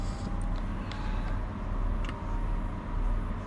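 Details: Modified car with anti-lag and launch control, at start-up: a steady mid-pitched whine over a low rumble as the fuel pump winds up priming before the engine fires. Normal fuel pump priming whine.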